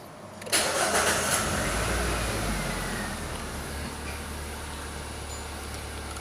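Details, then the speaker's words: 2012/2013 Nissan Versa after alternator pulley bearing adjustment: engine cranks, catches and settles to a smooth idle with no start-up squeal (previously worst in the morning); starting now healthy. "suave suave suave sem aquele aquele grito que ele dava principalmente pela manhã"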